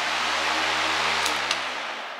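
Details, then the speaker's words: iLiving 14-inch UL-listed fan on high speed, described as level and stable with strong airflow. An even, steady airy rush with a smooth low motor hum and no knocking or wobble. "okay so there's high speed now that one's pretty level that was pretty stable"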